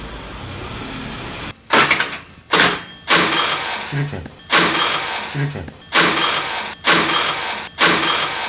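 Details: Daelim Couple 50 scooter: short bursts of starter whirring that cut off abruptly each time while the engine never catches; the starter works but the drivetrain/starter drive is slipping, a part that often fails around 30,000–40,000 km.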